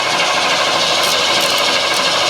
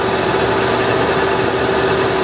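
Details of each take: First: Ford Bullnose F150, new battery, first start attempt without jump pack: harsh rasping grind with rapid uneven chatter for about three seconds, then cuts out; owner thinks a wire was mixed up, cause unconfirmed. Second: Bullnose Ford F150 cold start, after fuel delivery troubleshooting and rewiring: even, smooth idle with a steady hum and no knocks or misses. Normal cold-start idle.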